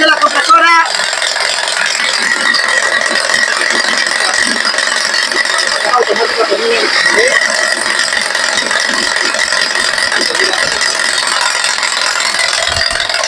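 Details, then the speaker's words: Mercedes-Benz GLC 250 with automatic gearbox, put in D or with the AC compressor on: idle is normal until then, when a dry metallic tac-tac chatter starts; worn alternator overrunning pulley and AC compressor pulley bearing. "Pero prendes la compresora o pones D en caja con la caja automática, D para salir, empiezas a zapatear, tac tac tac tac tac, hace un sonido así."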